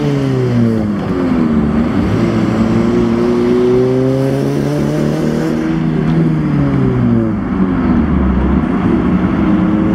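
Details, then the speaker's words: Si car: engine note climbs and falls unevenly and lumpy under hard acceleration but is fine at light throttle. The fault started that day; rough running under acceleration, cause not found. "And this is the sound it is making, and it's only when I like light throttle, it's fine. It's only when I get on it."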